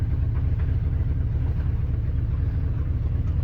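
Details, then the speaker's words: Ford F-250 with a 390 V8, 180k miles, cold-started in an Iowa winter after sitting about six months and running lean; a loud, lumpy idle rumble with a chuffing pulse from an exhaust broken off near the Y-pipe. "the whole reason i parked this rig is because the uh the exhaust has a hole in it in a very unfortunate area where it's very difficult for me to get to to patch"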